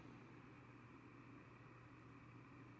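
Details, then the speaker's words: Baby Lakewood box fan model C-122X after splicing a cut cord, cleaning and oiling, running on low: quiet, smooth hum with soft even air rush, no ticking or rubbing, and a nice spin down. No scary motor noises. "got a nice spin down no scary motor noises no fire excellent"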